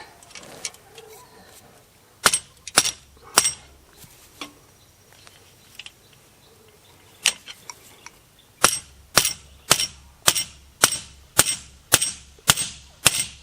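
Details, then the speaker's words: Hay mower cutter bar rivet being hammered on the hardy hole: sharp ringing blows about two per second settling into an even bright ring as the new rivet seats tight. "Now you can hear it get nice and tight right there."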